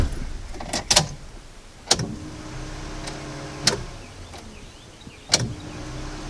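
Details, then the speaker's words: Honda EK Civic hatch, turbo project car with an engine of unknown condition and the ECU not yet installed: key-on clicks followed by a faint, steady hum of a second or two each time; fuel pump priming normally. "it does sound like fuel pumps running go ahead and pry out a few times"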